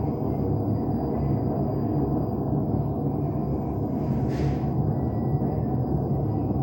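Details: LG washing machine drum turning with a loud, continuous deep rumble and growl, typical of worn drum bearings; the fix was replacing the two ball bearings and the seal.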